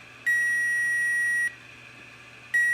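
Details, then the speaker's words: Power Probe 3 fine tip checking a fuse in the fuse box: two steady high beeps about a second long, a second apart, showing power on both sides, so the fuse is good. "this fuse is good because it's got power on both sides."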